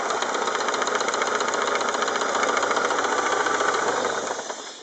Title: What is the engine knock? (BMW E36 318i 1997)